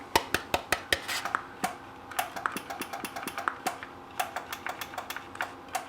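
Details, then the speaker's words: Lightning-damaged NuTone IMA4406 intercom master station with IS405 remote on bench: button presses followed by relay click-pop sounds, but no audio on talk or monitor from master or remote. "Part of what you hear is the button being pressed, but then you can hear the click. It's kind of like click, pop kind of thing. But there's no audio."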